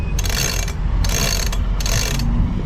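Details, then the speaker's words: Lewmar 58ST electric winch reassembled after cleaning and greasing, drum turned by hand: bursts of quick, crisp, even pawl clicks; the ratchet sounds perfect, slightly tight at the top, expected as new. "sounds perfect except this is a little tight up here but uh it's brand new so I kind of expect it"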